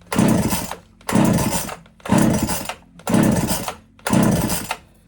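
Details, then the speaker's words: Erman EM5201 chainsaw (no fuel primer bulb), choke on and ignition on while diagnosing bogging down that the owner suspects is fuel-related: five sharp pull-cord rasps, each fading without catching; cranks but won't start yet. "There's no fuel bulb on this. It's all brute force."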